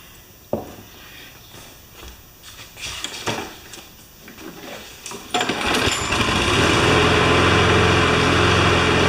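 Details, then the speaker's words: John Deere JS25 mower's small single-cylinder engine after teardown, run before being reconnected to the gas tank: handling clatter, then it fires at about 5.3 s and settles into a steady, even run; normal running. "Alright, I think it's going to run good enough to hook it back up to the gas tank."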